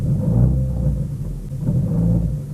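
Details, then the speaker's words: Renault Clio Mk2 rear noise: deep low thumping and rumble as the pipe knocks; worn rear exhaust mount, left about five years, needs replacing. "it's the rear exhaust Mount which needs replacing"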